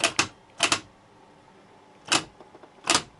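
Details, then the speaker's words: Car starter: sharp paired clicks about a second apart with no cranking whir. Solenoid contacts close and voltage doesn't drop; starter stays dead even when bridged with a screwdriver. Moisture got inside; the brush assembly, replaced along with the bendix four months ago, is suspected. "Хотя контакты во втягивающем реле замыкаются и принудительно перемыкании отвёрткой. Мы подаём напряжение на щётке, стартер тоже не срабатывает."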